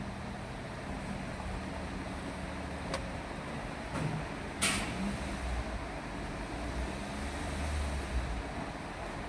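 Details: Toyota Etios Liva at idle with check engine light on, low uneven stumbling rumble; misfire with codes for cylinders three and four, checked by unplugging coils.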